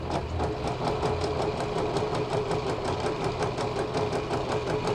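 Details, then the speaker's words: Repaired 20-year-old Janome Flare 810 computer sewing machine stitching at varied fast and slow speeds: quick even needle ticking about four a second, steady hum, no catches or grinding, normal running. "속도를 빨리 천천히, 대만산이라 해서 그런지 기계가"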